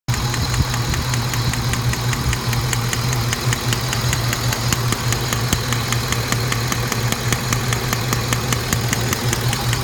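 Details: Saab 9-7x idling after spark plug install: steady sharp clicking tick over the low hum, a few times a second; cause suspected, not confirmed.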